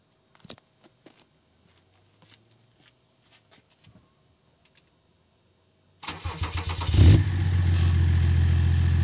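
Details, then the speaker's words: BMW E39 530d M57 diesel with rewelded exhaust: cranks, catches and idles with a fast light tapping as the tailpipe knocks and rubs on the M-package rear bumper, partly melting it; exhaust knocking against bumper. "Ну, то есть, в общем, вот слышно, как оно бьется."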